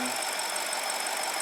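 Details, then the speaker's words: 2006 BMW 750 N62, check engine light and rough running, idling: steady high hiss with faint whistle, no knocking; crankcase vacuum not reaching its 1.18 inHg level, leak most likely a torn diaphragm, common on this engine. "so so we are not uh we are not pulling enough vacuum because it's not sealing because there's a leak most likely a tear and then so our level is not as high and that too can create drivability problems"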